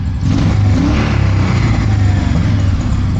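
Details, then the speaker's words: Honda PC800 motorcycle after a carburetor cleaning, air cleaner refitted and idle turned down slightly on a very cold day: it cranks right up and the engine revs and holds smooth and even with no knocks or stumbles; carbs not yet balanced. "All right, guys, so I put the air cleaner back on and started it. She cranks right up, runs amazing."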